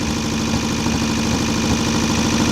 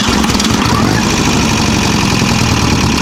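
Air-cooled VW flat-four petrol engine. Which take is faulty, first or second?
first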